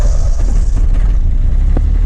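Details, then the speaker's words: Yanmar F16D compact tractor (1983–86), 1.0 L three-cylinder 20 hp diesel: firm, low clatter settling into a steady idle with no misses or knocking; runs really good. "Of course, it's a diesel. Runs really good, as you can tell."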